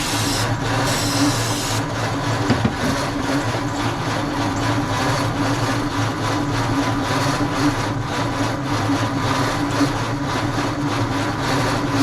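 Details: 1948 Ford F5 truck, dormant nearly 30 years, cranked with starting fluid while the distributor timing is being adjusted and the battery charges: a steady, labored churn as the starter turns the engine evenly, but it never fires; it cranks without starting.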